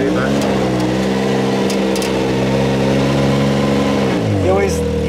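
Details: Can-Am Maverick X3, after a fix for a driveshaft noise present since about 100 miles at 2–8 mph: engine drone rises and falls smoothly with throttle, no knock or rattle, driveline now quiet.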